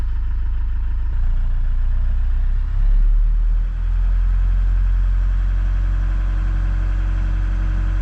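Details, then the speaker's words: Iveco Daily campervan diesel at start-up after draining water/diesel mix from the fuel filter and bleeding it: even low idle that dips briefly then settles, no misses or knocks, little smoke; normal idle. "Okay, let's start the engine. Okay. It's running pretty smoothly. And not too much of steam or smoke coming out, so"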